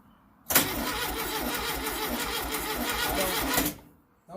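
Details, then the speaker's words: Baja Bug engine with fresh oil, new plug wires and spark plugs, distributor possibly tampered with and firing order uncertain: fast, even cranking about three pulses a second for three seconds, never catching; owner suspects wrong timing or crossed wires. "so no that sounds a little fishy that's definitely it's not crossed far if it's crossed it's not like any life"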